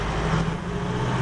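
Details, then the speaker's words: High-mileage vehicle after inlet manifold leak repair, diagnosed for a belt squeal: steady deep engine drone pulling hard at full throttle under load in second gear, with no chirp or squeal where it normally chirps. "can't hear any chirping there we just go up a few more hills load up the engine and see what it sounds like that sounded pretty quiet then didn't it"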